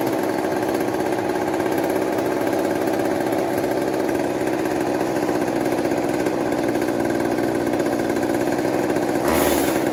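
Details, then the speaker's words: Old 1980s Mastercraft (Poulan-made, Canadian Tire) two-stroke chainsaw, bought cheap and revived after the spark plug was gapped. A fast, steady buzz holds high revs with a rough crackle. It is running but spitting fuel from the carburetor; the cause is not confirmed. "that's pretty rad um it's spitting gas at the car may turn on this down a bit see how that goes"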